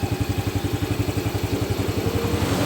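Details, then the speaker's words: Yamaha Vega ZR single-cylinder engine after rebuild with new connecting rod (old one gave knocking sound): regular even thumping around eight pulses a second, rising slightly with revs, no knocking; normal idle restored. "Dan suaranya juga udah normal lagi. Dan suaranya pun udah normal kembali dan bagus."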